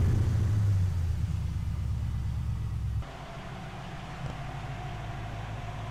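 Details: V8-swapped Nissan 240SX idling after reaching operating temperature, following a no-start possibly from air in a fuel line run near dry; steady, even low idle rumble with no misses, knocks or ticks: everything seems good.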